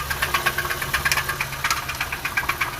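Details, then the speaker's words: 2007 Honda Civic original engine at idle, before an engine swap: loud, fast knock of several hits a second, uneven but persistent, pointing to the bottom end; suspected broken bearings, maybe even a piston. "definitely probably broken bearings maybe even a piston"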